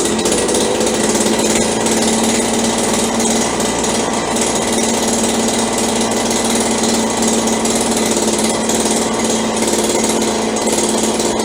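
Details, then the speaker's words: Roughly 30-year-old Stihl BG72 two-stroke blower, cold start on choke with good compression and spark: a shrill, slightly ragged and uneven buzz; it runs rough cold, runs better once warm, and still needs tuning. "Sounds like we need a little work here. Runs much better when it warms up."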